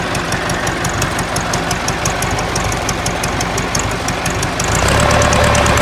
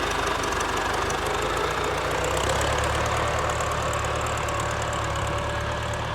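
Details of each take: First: Ford 4040 industrial diesel tractor before injector rebuild: lumpy idle, uneven beat with a dropped puffing stroke about three a second, puffing smoke; misfire, number two injector worst, streaming fuel instead of atomizing, others also weak. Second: Warm Ford 4040 industrial diesel tractor after four rebuilt injectors fitted: steady, even clatter with a firm low rumble, no stumbles or surges; no haze warm, a little black smoke under load; normal warm running.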